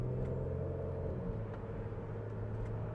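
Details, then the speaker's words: Kia Sedona on a test drive over rough, bumpy pavement after a broken rear coil spring was replaced. Only soft, even road rumble with no clunks, creaks or rattles; quiet, healthy rear suspension. "No loud clanks. We're good. We're good to go. Right there was a big bump. Here's another one at the end of that patch. And it's nice and quiet."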